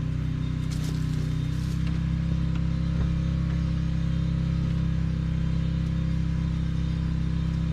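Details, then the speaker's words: 2002 Subaru WRX with straight-pipe exhaust at idle, injector just plugged back in: deep loud burble, mostly even with a faint occasional stumble. Rough idle with occasional misfire, running rich and smoking; owner suspects it may still slightly misfire. "I'm gonna plug this injector back in and it probably will still slightly misfire here and there but oh well"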